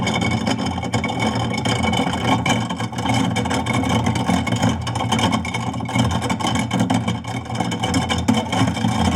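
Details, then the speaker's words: Garbage disposal with rusted, stuck impeller lugs run with bones inside: steady motor hum under dense constant clatter of tumbling pieces; the rattle means the lugs dislodged, and the bones freed them. "letting it rattle around so if you notice that noise actually is a good thing it sounds good that it actually dislodged there"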